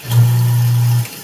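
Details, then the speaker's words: Newly installed garbage disposal replacing a leaking old InSinkErator unit, water running for leak test: motor spins up instantly to smooth steady low hum then winds down cleanly; normal running. "all right let's hear it run all right that's nice and solid"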